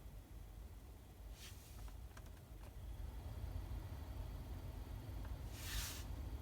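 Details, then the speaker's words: Hyundai Santa Fe HVAC blower motor after lubricating the shaft bushings with penetrating oil, on low speed: soft steady hum with only a faint occasional tick left, where before there was a pronounced ticking on first and second speeds. "and the sound definitely is nowhere near as bad as what it was it was really like a ticking sound"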